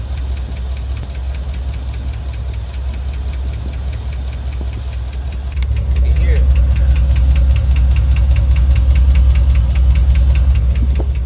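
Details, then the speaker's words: 6.0 V8 2500HD with over 300,000 miles idling before Marvel Mystery Oil is added: quick, steady metallic ticking over a low rumble from noisy hydraulic lifters; owner needs this treatment about every 1000 miles. "So this is the noise it makes till you put some Marble Mist Oil in here."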